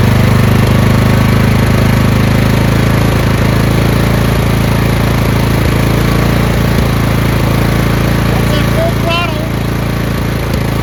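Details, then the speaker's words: Craftsman LT2000 lawn tractor after fuel line replacement, fuel solenoid cut off: small single-cylinder engine ticking over at a steady idle, even beat with no surging; earlier surge gone, which the owner blames on the fuel solenoid. "I'm going to cut this fuel solenoid off. That's an idle. No surge."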